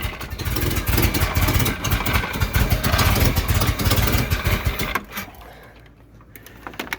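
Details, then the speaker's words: 1991 Mustang GT after engine teardown and reassembly, first run: uneven, lumpy firing that surges then sags; owner thinks it needs more ignition advance; exhaust rasp because the mid pipe isn't fully bolted up, with a suspected leak at the header flange. "think she needs some more advance so and the exhaust sounds like that because the mid pipe still ain't bolted up all the way"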